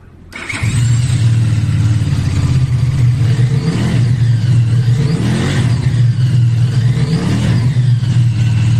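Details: Qianjiang Sai 550 motorcycle engine after repair (crankshaft bearing shells replaced with the Chunfeng 650 type; piston unworn): clean start, then crisp throttle blips with a smooth, even exhaust note and no knock on release. The previous fault was an abnormal noise on throttle release. Normal engine revving.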